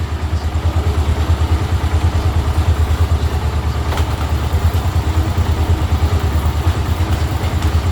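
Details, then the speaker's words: Bajaj Avenger 220 during a home service, slow idle in gear: even thumping about three beats a second from a loose drive chain slapping at low revs. Reduced by raising idle speed. "பார்த்தீங்கன்னா படக்கு படக்குன்னு அடிக்கிறதுக்கு இங்க பாருங்க இதை avoid பண்றதுக்கு தான் சொன்னேன்"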